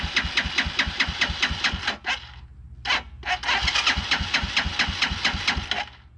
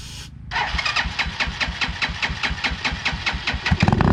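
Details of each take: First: 2010 Dongfeng DF250RTB 250cc single-cylinder air-cooled motorcycle after 10 years sitting, fresh gas added: two bursts of steady cranking about two turns a second, no firing; not getting fuel, so the carburetor comes off. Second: 2010 Dongfeng DF250RTB single-cylinder air-cooled 250cc motorcycle, first start after 10 years sitting, taken off choke early: quick fire-up, then crisp thump about six beats a second, settling and picking up; runs fine.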